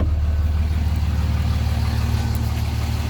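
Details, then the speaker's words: Cummins diesel, second startup after replacing plugged fuel filters and priming the fuel system: steady even idle with regular low thump about three times a second, no misses; normal idle. "Definitely running. I'm super excited about that filter replacement."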